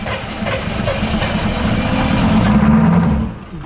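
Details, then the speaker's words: Military M1009 CUCV (Chevy K5 Blazer) diesel, sitting over two decades, 40 psi oil pressure, glow plugs cycled, eighth throttle; fast steady cranking about three turns per second with a few catches that never take hold, cranks but won't start. "oh dude almost it is so freaking close let's uh you ready brother uh-huh do key on engine off again tell me when it's done glowing all right let's try it come on no"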